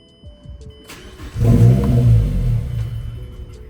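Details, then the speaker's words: Mazdaspeed 3, first start after installing Corksport exhaust manifold, CST5 big turbo and intake, without a base map: brief crank, catches with loud flare, then sags steadily near stalling; owner suspects no base map, may not stay running. "Yeah, [laughter] I need a base map. So, it's probably not even going to stay on."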